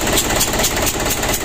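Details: 120PS Ragasa diesel with a reported engine leak, idling: a loud, sharp, regular chuffing tick rides over the clatter; compression is leaking past the number three injector nozzle.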